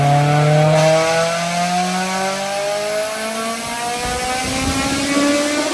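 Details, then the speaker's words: Honda S2000 rebuilt with a new OEM short block and new cylinder head after the original engine seized: clean rev then smooth, steady fall to an even idle with no knocks, ticks or misses. Finding: normal rev and idle. "all right so we're very fine everything's good we let it idle down listen to it kind of a long day but it's good that it sounds nice now listen to that that's beautiful"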